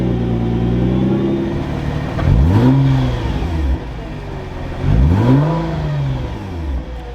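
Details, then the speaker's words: Nissan GT-R R35 after installing AEM 340 lph high-flow fuel pumps (with bigger injectors), system primed: two clean throttle blips, pitch rising and falling smoothly with no stumble or misfire; no check engine lights, air-fuel ratio normal, normal revving. "all right had to prime the whole system but we're running no check engine lights"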